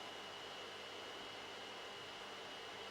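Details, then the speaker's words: Sony Vaio SB laptop running FIFA game: CPU fan under heavy load gives a steady airy rush with a thin high whine, quite noisy and bothering. "you probably can hear the cpu fan it is quite noisy it is actually quite bothering can be bothering sometimes"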